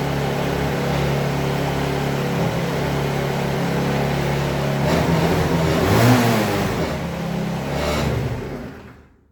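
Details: Chinese Hoabon 50cc scooter after kick-starter repair and consumables replacement: small two-stroke revs up cleanly and drops back off with a smooth even buzz, no knocks or misses; sounds healthy.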